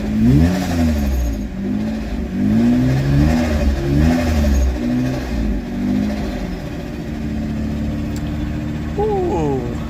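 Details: Engine with no idle control valve, second fire-up: revs flare and sag unevenly then a shaky tick-over; cuts out at idle.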